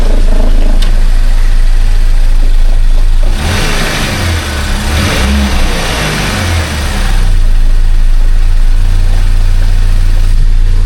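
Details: 2011 Buick Regal Turbo after timing chain repair: even idle, clean blip and return, steady again, no rattle or tick; earlier slight rattle suspected as lifters pumping up has gone. Normal idle and rev.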